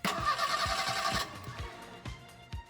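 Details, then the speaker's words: 41,000-mile 1986 Merkur XR4ti, fuel pump fuse and relay pulled, cranking to prime oil with new Motorcraft starter solenoid and new starter: even unhurried pulses about three a second, no grinding; cranks smoothly. "all right so it cranks over it's got a nice new starter cellon it and a nice new starter so it sounded good"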